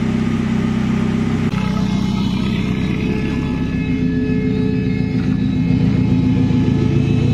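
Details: Commer van with 2.3 turbo, old external fuel pump before in-tank conversion: thin steady high whine over rough engine running, constant pitch; noisy external fuel pump.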